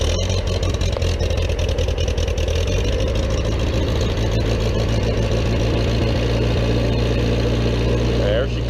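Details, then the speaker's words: Vermeer 665A stump grinder, with its choke relocated so it runs better: a steady, even engine drone holding a constant low pitch with no knocks or misses, running smoothly. "running like a champ"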